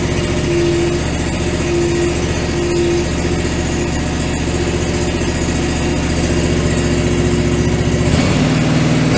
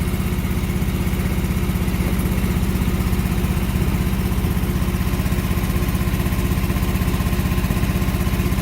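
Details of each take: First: John Deere 445 twin, after fitting new OEM coils: strong, even idle with steady firing and no misses, both cylinders firing; normal running. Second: John Deere 445 mower engine with the right plug disconnected, running on the left cylinder only during coil-pack troubleshooting of a sporadic miss: a steady, loud, lopsided thumping idle, weak under load as expected.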